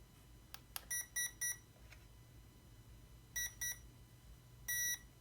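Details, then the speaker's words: Hobbywing QuicRun 1080 brushed ESC with Holmes 12T Trailmaster Sport motor, during neutral/forward/reverse calibration: short high beeps in groups of three, then pairs and a longer final tone; ESC accepted settings and armed. "Once you get the reverse setting, you just let up on it, and it'll catch their setting and arm, and you're ready to go."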